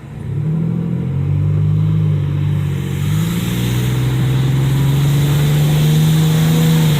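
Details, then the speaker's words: High-mileage vehicle driven before adding oil stabilizer: loud engine note climbs steadily under load with no knock or rattle, moving but not really pulling. Poor power suspected, cause unconfirmed. "all right so it's moving but not really you know let's move it though you know"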